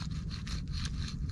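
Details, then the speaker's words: 1989 Chevy K1500 Silverado (GMT400) front hub turned by hand: rough gritty grinding, hub won't turn fully; bad front hub bearing, being replaced. "let me show you what a bad hub bearing looks like up close should not hear it grinding won't even turn all the"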